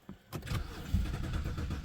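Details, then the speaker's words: 2008 BMW 323i with codes P0012/P0015: short burst of uneven cranking that almost catches but never idles, after both cam sensors were replaced with Amazon parts; owner wonders if they must relearn or are defective. "oh she almost started let's see I wonder if it's got to relearn those"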